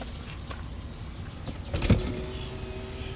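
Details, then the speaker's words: 2018 Honda Odyssey power window during pre-purchase inspection, engine running: short steady motor hum as the glass travels, no grinding or strain; window functional. "it's got power windows and they're functional."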